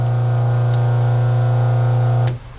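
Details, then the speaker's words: New RBG712 blade sharpener (Wall Enterprises) with a 1/2 hp single-phase 60 Hz ball-bearing motor, first switch-on: smooth, even, quiet hum with no knocks or rubbing, then a clean shutdown; normal running. "Ooh, that thing is quiet. Well, it sounds powerful too."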